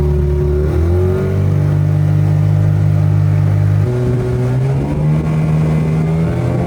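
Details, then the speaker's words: Unbranded Yamaha Enduro-style outboard bought from Amazon, on a boat under way: smooth, steady engine drone rising a step as throttle comes up, no skipping or coughing; running healthy at speed. "She is a ripper. And I tell you what, it sounds good. Like, it's not skipping and coughing. It It sounds legit."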